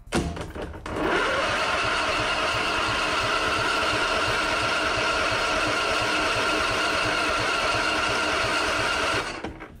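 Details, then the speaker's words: Husqvarna Z246 zero-turn mower with safety switches and electrical system bypassed, plug boot off for spark test; starter spins engine evenly about eight seconds, never firing, no spark on either side; cranks but no start, no spark. "not seeing any spark it's not a good sign okay here's the other side yeah it looks like we're not getting sparked for some reason"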